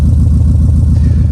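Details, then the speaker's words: 2004 Subaru Impreza 2.5RS flat-four, stock apart from an SRS 3-inch stainless exhaust with a 4.5-inch tailpipe. Deep, even burbling idle with a steady uneven-firing pulse, no ticks or misses. Normal idle. "It's beautiful. It sounds good."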